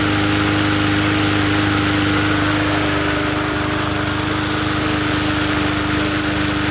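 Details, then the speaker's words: Poulan push mower engine swapped onto another 20-inch deck, just started: steady even hum, constant pitch, no misses or knocks; normal running; recoil spring has lost tension and chatters. "Sounds good to me."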